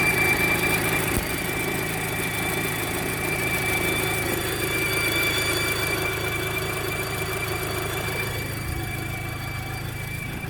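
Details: Audi Mk2 8J TT at idle: steady high-pitched squeal from the V-belt drive area persists with the V belt removed, after alternator pulley, tensioner pulley, V belt and air-con clutch pulley were replaced; source still unknown.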